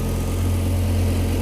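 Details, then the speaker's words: Car after swapping in a replacement alternator, idling with the battery now charging at 13.6–13.8 V; drive belt checked and appears to run straight: smooth, steady low idle with an even hum and no belt squeal, flutter or slap; normal idle. "Mingisugust loperdamist nagu ma ei tea, minule tundub, et käib täitsa otse."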